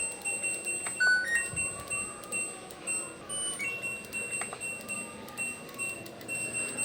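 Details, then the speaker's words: LG Direct Drive front-loading washing machine that was hard to switch on, after control module repair and modification: clean electronic beeps and a chime at power-on, board responding normally; normal power-on chime. "Selanjutnya kita tekan tombol power-nya. Nah, untuk kali ini sudah hidup normal."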